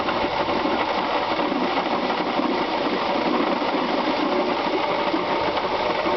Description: 1996 Subaru Legacy Outback 2.5, 75,000 miles, knocking sound in engine caused by bad water pump.